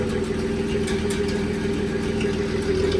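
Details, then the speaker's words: Cold start next day after exhaust pipe fix and new spark plugs replacing very old ones, radiator and alternator disconnected: smooth, steady idle with even hum, no exhaust rasp or blowing, much quieter; normal idle. "The new spark plugs definitely made it run a lot better. I think them other ones were God knows how old. But, I mean, it is smooth. Very smooth."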